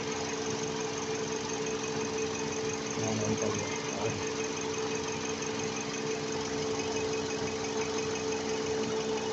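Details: 2023 Toyota Camry that had been misfiring and shaking (a dead coil was suspected), now after injector replacement: a steady petrol idle with an even low hum and faint ticking, with no clear miss or stumble.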